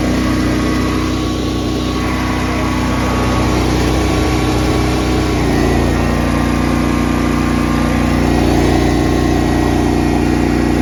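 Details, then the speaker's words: Honda EB11000 generator running on a 20 lb propane tank in cold weather, 240 V, idle-down off: steady even drone holding pitch as a 34 A hot water tank load comes on; normal running under load. "viewers to look and see, to listen for how little change there is in the sound of this generator when you you slap a 34 uh amp load on this thing, a 240 BKW."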